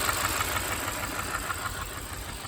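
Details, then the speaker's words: 2013 Kia Sorento 2.4 with plugged catalytic converter, burning oil, cylinder 3 misfire: rough idle with quick, regular light tapping from the top end; an intake valve isn't opening, possibly a broken valve, giving a valvetrain tick. "now this noise is coming from right in here and we have an intake valve that's not opening is what we have we either have a bad we either have a broken valve or something's going on"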